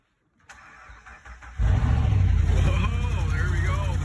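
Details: 2011 Ram 1500, 5.7L Hemi V8, no-crank complaint; battery grounds bypassed with jumper cable: quiet clicking, then engine catches firmly and settles into deep steady idle with no stumble, proving a bad factory ground; normal start and idle.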